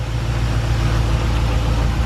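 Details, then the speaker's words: Honda S2000 with LS1 V8 swap, remanufactured long block replacement engine, first start on conventional break-in oil: deep, steady, even rumble at idle, no ticks or knocks; smooth, healthy V8. "how'd you hear the motor sounds fantastic this is the new replacement motor and"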